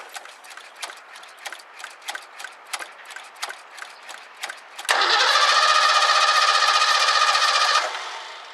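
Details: 1984 Ford Mustang GT350 barn find: steady cranking at about four turns a second, then it catches and runs rough for three seconds before dying. Starting fluid used, owner suspects a fuel issue or non-working fuel pump and plans to check the fuel filter.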